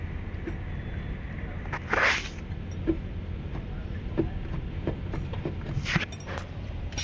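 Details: Porsche Cayman moving on the road: dull clunks about every second over low road rumble; suspension clunk, source not yet found.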